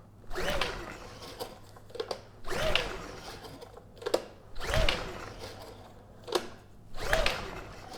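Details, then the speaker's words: Honda EU2000i generator, carb needle and seat holding, choke on then off, ignition switch bypassed: repeated recoil pulls every two seconds, brief whirring spins with no firing; no spark or a carb problem suspected. "And yeah, we're not getting any signs of life. Let's try choke off. And choke back on. And now we get nothing."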